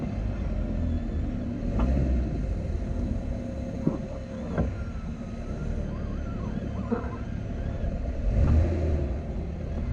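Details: Jeep Wrangler JL creeping forward or reverse while steering left to right: scattered sharp irregular clicks over low rolling rumble; owner hears it more at the rear, unsure if front; source not pinned down.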